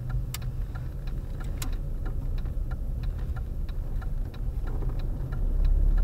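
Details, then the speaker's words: Car driving in traffic: sharp light ticks, about three or four a second and somewhat uneven, over road and engine drone; not heard in second gear, loudest from third up; owner believes not from the engine, source unconfirmed. "Vezi, am băgat între două, nu se aude. Am băgat între două, nu se aude. Între a treia sau de? Dintre a treia în sus. A treia, Între a treia se aude cel mai"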